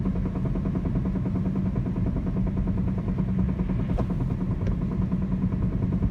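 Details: 2004 Chrysler Sebring, engine running; a dull, uneven knock roughly twice a second from the front end, heard only just before the engine is put under load and gone completely under load. Origin unknown.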